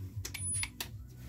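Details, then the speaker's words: Chinese-made Makita cordless mini chainsaw: a brief high beep with a couple of trigger clicks and no motor spin-up on pressing the switch; the controller was tested, found dead, and replaced. "Так ну что по классике проверяем контроллер Ну всё улетел контроллер улетел покинул чат"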